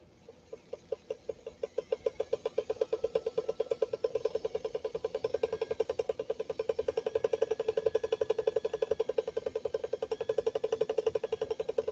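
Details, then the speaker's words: Swedish sewing machine, first power-up after shipping: rapid, fairly even ticking about four a second over a low hum. The motor sounds labored and struggling, and dims the light. "That's not the way a Swedish Beauty should sound."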